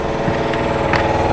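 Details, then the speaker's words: 100 L twin-cylinder workshop air compressor that kicked on during a Peugeot 3008 1.5 BlueHDi oil and filter service: even fast pulsing chug with a steady beat, no knocks or rattles, filling its tank; running normally. "Compresseur qui s'est mis en branle."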